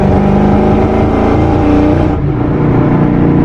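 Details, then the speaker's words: Boosted Mustang GT with no engine codes, on fresh Shell fuel plus injector cleaner: a hard full-throttle pull sounds rough and uneven with a choppy stumble as revs rise; still sputtering and misfiring under load, perhaps slightly more power. "I put fuel injector cleaner in it, and I think it may be helping just a little bit. It feels like it has a little bit more power, but it's still sputtering."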